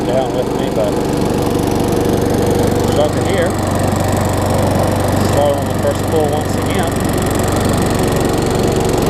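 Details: Craftsman self-propelled mower with a Tecumseh engine, after tightening the loose, backwards blade, a service and a new air filter. It holds a steady, even drone with no sputtering, surging or knocking, running clean and healthy.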